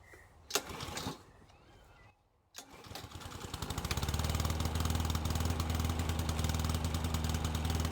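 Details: Old Honda IZY HRG466 lawn mower, unused for 12 months, started with fuel: after a couple of quiet pulls it catches near three seconds and settles into a steady, even single-cylinder run with no misses. Normal start and idle.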